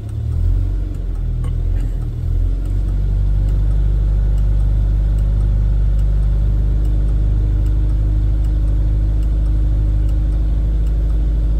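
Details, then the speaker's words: Rover P4 80 carbureted engine at warm idle after fixing a faulty carburettor fuel shut-off solenoid that caused exhaust backfire at shutdown; smooth, even idle with steady low rumble, no pops or misses, and no backfire on switching off. "okay that sounds a bit warmer now let's see if the backfire is going to turn it off no backfire so problem solved"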